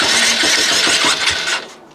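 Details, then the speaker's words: 2008 Honda CBF125 rebuild, starter motor changed: engine catches on the starter with harsh rattly mechanical clatter over rapid low thumps, then dies within two seconds; internal engine noise on start-up, bottom end bearings suspected, not confirmed. "okay well I don't know what's wrong with that engine I think it's probably the bottom end bearings or something significant but that engine is never getting used again"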